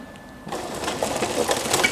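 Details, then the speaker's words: Pellet burner (quemador) being switched on. At startup the auger (sinfín) does the initial fuel load, giving a dry, continuous rattling, crunching feed noise; normal auger fuel feed before ignition. "se está produciendo la carga inicial, por eso se oye este ruido. El Sinfín ha hecho la carga de combustible para proceder al encendido."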